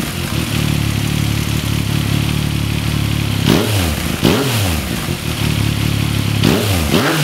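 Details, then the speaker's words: 2014 Yamaha MT-09, 28,000 km, automatic cam chain tensioner deliberately slackened: metallic clattering at idle, loudest on throttle blips; cam chain rattle, first heard around 6,000 km, fixed by lightly backing tensioner with an M6x25 bolt. "那我现在就来把内链放松，让大家听一下这个声音。因为有时候其实很多人问这个问题，就其实它的声音很正常，因为多少会有一些正常机械声。"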